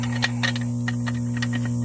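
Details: Whitewater DF series aerobic septic system after replacing charred Intermatic timer module: steady, even low electrical hum with a few faint clicks; running normally.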